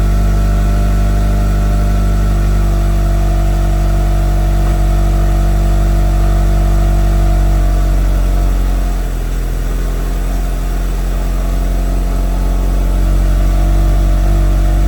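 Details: Mitsubishi Evo, first start after an FP Red turbo install with MAP manifold and FP oil lines, catches and idles steadily with smooth rev rises and no knocks or rattles; new heat wrap smoking off, healthy start.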